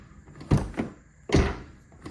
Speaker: This is a '04 Lexus GX470, and there's a rattle in my driver's side door. I don't know if you can hear it, but every time I shut the door, there's a rattle.